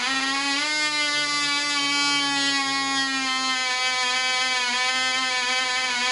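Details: Black Widow mouse racer glow engine on its first test run: polished crank bearings, fitted cylinder/piston, high-compression head, 5x3 prop, 24% nitromethane, needle at three turns. A steady high scream with a slight warble, run rich during early runs but running smoothly.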